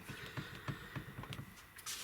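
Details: Peugeot Partner steering column: regular dull knocks, about three a second; the owner suspects the steering column universal joint/cross or a loose bolt at the top of the column, not confirmed.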